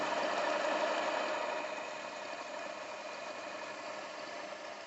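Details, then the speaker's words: Panasonic AG-2550P VCR, K-mechanism, fast-forwarding: even airy whir easing slightly as tape winds, no catches or squeal; normal fast-forward speed. "let's press stop close edge i mean fast forward and fast forwards at reasonable good speed"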